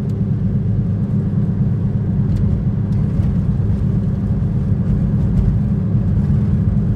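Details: 2010 Toyota Prius driving after loose rear spoiler was fixed, tyres recently replaced: constant low droning rumble crowding the cabin, loud enough to raise voices; cause unconfirmed, later believed a bad wheel bearing.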